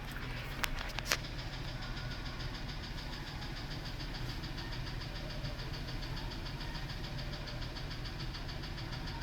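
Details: F-150 with 180,000 miles, idle: fast even light ticking over low idle; running rough, cylinders two and six suspect, number two compression down 1%, valve train suspected, not confirmed; replacement engine recommended; ticking at idle.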